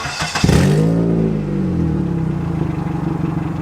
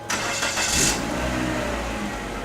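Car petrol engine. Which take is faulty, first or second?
first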